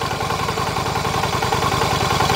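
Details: Yamaha Virago 250 twin with smog/EGR system, compression 150, valves slightly loose: lumpy, wavering idle with light clatter; vacuum gauge swings widely, suggesting sticking valve or weak valve spring, EGR possibly involved, unconfirmed.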